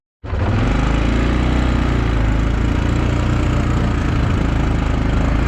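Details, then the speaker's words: 2002 Yamaha Kodiak 400 4x4 ATV on a test drive after replacing the bad front left wheel bearing and torn-boot front axle; smooth, even single-cylinder drone, no clunk when turning and no binding anymore; normal running. "seems to be working good when you turn it doesn't clunk anymore"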